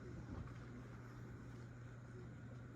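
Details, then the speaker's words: Casablanca Lady Delta ceiling fan, small, mounted over a bed, running on medium speed: a steady low hum, essentially silent with only a very slight bearing noise, no rubbing or ticking; normal healthy running. "this is definitely a silent fan. You can ever so slightly hear some bearing noise."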